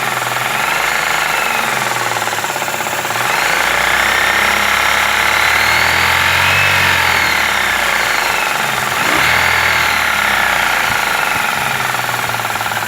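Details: Daewoo Lanos 1.5 petrol engine running: steady engine sound with a somewhat uneven knock at about three to four beats a second riding over it; engine knock, source unknown.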